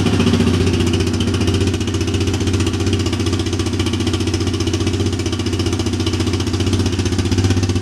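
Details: Single-cylinder Big Bear engine, first start after a top-end rebuild (head honed, valve seals replaced, cam reinstalled) with fresh gas in the carburetor. Even thump at about three beats a second, steady with no knock or miss, and no smoke. Healthy idle.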